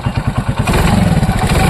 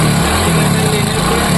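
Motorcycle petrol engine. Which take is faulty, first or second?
second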